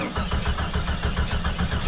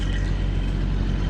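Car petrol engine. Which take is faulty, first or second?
first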